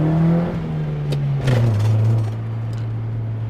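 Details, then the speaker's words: 1989 Honda Prelude Si while driving: engine drone eases down from a rev then hangs high around 3,000 rpm with no throttle held; idle takes off for no reason. "happens I'm not holding it at 3,000 I'm not holding it there I'm not holding it there"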